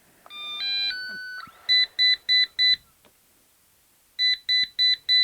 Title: EUFY robovac Solid red indicator light 4 beeps Stuck brush SOLVED